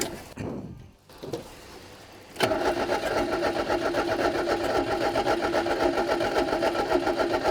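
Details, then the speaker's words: Fiat 125 with a 1.6L twin-cam, sitting for years, primed with fuel down the carburetor: the starter turns steadily at almost four beats a second with no firing. Crank, no start, no spark. "Righto, we got no spark, so I'm gonna pop the distributor cap off and have a look to see what our points are doing."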